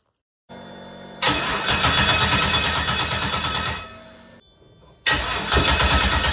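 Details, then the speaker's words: LS-swapped Mazda RX-7 with a no-fuel/injector issue and missing sensors, ECM retuned from automatic to manual: starter cranks briefly, engine fires and runs about two seconds, fades and stalls, then catches again; fuel delivery suspect. "What just happened? Why did that just fake me out like that?"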